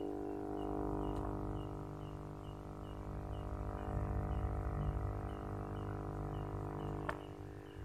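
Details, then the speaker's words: Aquarium aerator air pump running while connected to the aquarium, before adding a sound dampener: a loud, steady low hum and buzz with faint regular ticking. "Kemudian kita akan menambahkan peredam suara ini agar suaranya tidak terlalu berisik seperti ini."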